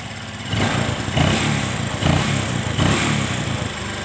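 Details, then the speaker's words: Motorcycle carburetor with the air screw turned fully in: idle surges and sags roughly every 0.7 s and nearly dies between surges; rough idle from an over-closed carburetor air screw, fixed by backing the screw out gradually. "coba ya motor jadi motor jadi seperti ini ya kalau kita setel mentok nah agak mati"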